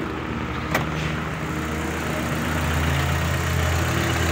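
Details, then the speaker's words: Chevy engine after removing the oil pan and cleaning the oil pump pickup screen, cold December weather: oil light goes out quickly, smooth even idle with steady low hum, no knocking or clatter; normal idle. "trabajando bien se escucha muy bien amigos"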